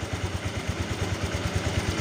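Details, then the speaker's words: Honda Vario 125 (old model) after a water pump seal repair for coolant in the oil: coolant topped up and no spray; warming to temperature with even firing pulses about nine per second and no knocks; normal idle. "Aman ya, aman, nggak muncrat. Oke, kita tunggu sampai agak anget ya. Kalau sudah anget berarti normal."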